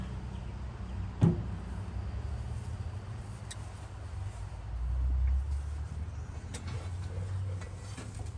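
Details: 1955 Chevy truck inline-six, sitting 30 years, freed from seizure, spark restored, first start attempt: one sharp backfire pop strong enough to knock over the camera stand, then brief uneven sputter that fades; fires but won't keep running.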